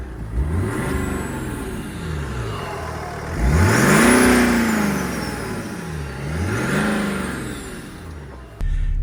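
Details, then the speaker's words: BMW-engined automatic Land Rover Defender 110 conversion: revs climb smoothly and fall back twice with a clean turbo whistle rising each time; engine very quiet, balanced and healthy. "I don't know if you can hear that that sounds very quiet indeed really red you can hear the turbo"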